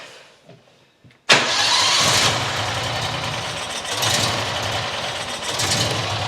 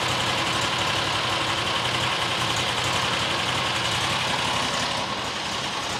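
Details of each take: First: New John Deere XUV side-by-side petrol engine fires and idles unevenly, swelling and sagging every second or so; rodent nest found, owner suspects dirt in carburetor; rough idle. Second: New John Deere XUV side-by-side after a new fuel filter; steady, even petrol idle with a busy hiss, no stumble or hunting; normal idle.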